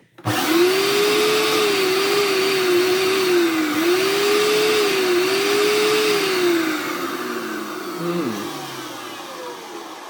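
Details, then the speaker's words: Hoover Turbopower 2 U2090 001 vacuum, circa 2002–2003: loud motor whine wavering up and down, then sagging as it runs down, with a slightly smoky smell; owner suspects dry motor bearings or the motor burning out. "if I remember correctly there is something up with the motor ya think the most has got dry bearings at worse sounds"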